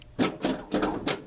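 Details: 1978 Ted Nugent pinball machine after new flipper plunger links were installed, machine lying flat without legs; four or five sharp, solid clacks in quick succession. Flippers firing cleanly and strongly after repair.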